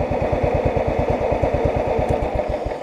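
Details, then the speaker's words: Cub Cadet 1320 riding mower, whose hydro transmission struggles on inclines: even, steady single-cylinder putter at about three firings a second with no misses or knocks. A smooth, healthy idle. "it's just when you get it on an incline is when it starts to struggle a little bit this thing idles so well"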